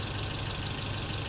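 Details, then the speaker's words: 1984 BMW E30 318i after cleaning the idle control valve: slow, even, deep idle lower than ever before; owner suspects the valve was stuck and wonders if timing is off. "I've never had it idle this low so maybe it was indeed stuck"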